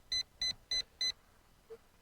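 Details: ZLL SG906 Max (Beast 3) drone during flight high in the air: four quick high-pitched beeps, about three per second, then silence, as the drone repeatedly stops; obstacle avoidance warning with nothing apparent ahead, cause unknown.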